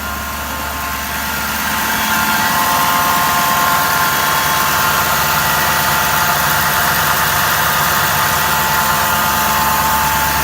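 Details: 2011 Ford F250 6.7 Powerstroke diesel, stock, ~124k miles, idling. Steady high whine over the clatter from the driver's side of the engine, starting immediately on start-up, varying with rpm, louder when revved. Cause: bad alternator.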